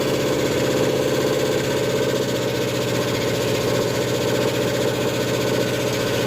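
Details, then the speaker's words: Ford F100 with 302 V8 and Comp 268H cam during cam break-in, running fast with steady rapid knocking over the engine note; cause turned out to be valves adjusted wrong (incorrect valve lash). "At this point in time, what's happened with the truck, I'm sure you can hear it knocking. We had a lot of concerns It turned out we had just adjusted the valves wrong."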